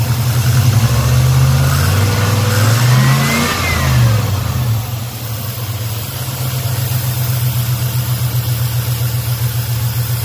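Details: Black Pearl pickup V8 after a completed TBI throttle body rebuild, which the owner says seems healthier: a couple of crisp throttle blips that rise and fall cleanly, then a settled, even idle. Normal idle.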